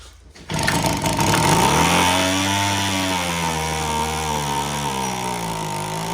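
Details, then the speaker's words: Homelite HT17 gas hedge trimmer (small two-stroke) found with fuel lines missing, test-run to see if the clutch engages the teeth; teeth moved but it revs unevenly, pitch sagging and climbing, and the carb needs adjustment. "Teeth moved. Looks like we need some adjustment to the carb."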